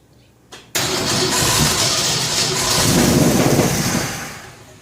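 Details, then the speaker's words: Shop truck V8 cranks a little, then catches, revs briefly and settles on first start after a fuel system overhaul (new fuel pump, regulator, filters, intake gasket, carb spacer) meant to stop fuel boiling; fuel had been poured into the carburetor to help it start. "Let's fire it up. It's gonna have to crank a little bit, get some gas in there."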